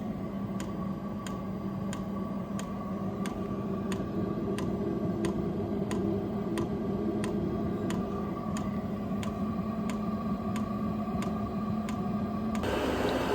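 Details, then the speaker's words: Vevor diesel heater at about 30 hours of running, after being turned to setting 4: crisp, even fuel-pump ticks about three a second over a steady fan hum as it heats up. This is normal metering on startup, and it soon quieted. Oil under the tank was possibly spilled; no leak found. "Oh, starting to pump there. Sounds like it's getting hotter."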